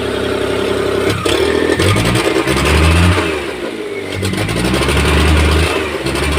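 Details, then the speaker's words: Maruti Omni that cranked but would not start, after the spark plug ignition cables were refitted in the correct order: starts on the first crank and revs up and down cleanly in repeated blips, with no misfire. "देख सकते गाड़ी start हो चुका है एक self में गाड़ी start है"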